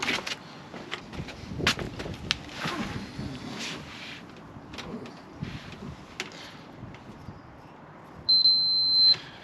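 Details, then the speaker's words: Range Rover Sport L320 (insurance write-off) front parking sensor wiring: continuity tester gives faint ticks then a steady one-second beep on the front-left outer sensor plug, confirming the wire intact. "Okay, so all three of these cables, that's the yellow and red, the black and the brown, they're all good. They're all working."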